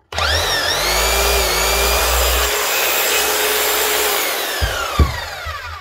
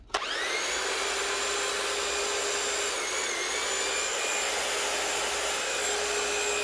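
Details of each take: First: 2017 Keyang KH5000M hammer, customer reports no hammering: motor spins up to a smooth steady whine with no hammer blows, likely dried grease or worn O-rings, fixed by service with new O-rings and grease; no hammer action. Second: Keyang KH5000M hammer after a mini service (strip, clean, new O-rings, grease, rebuild): a steady, even high-pitched buzz held for ten seconds with no rattle or stutter, then a clean run-down. It runs normally.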